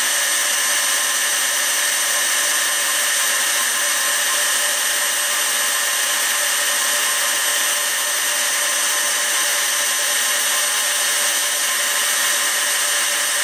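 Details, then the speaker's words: PM727M mill after a gear head to belt drive conversion, motor at 3,000 RPM, computer and control panel fans audible: steady, even high-pitched spindle hum, no knocks or grinding; normal spindle run. "you can hear the fan running on my computer and control panel right now and then here is the motor running at 3,000 RPM"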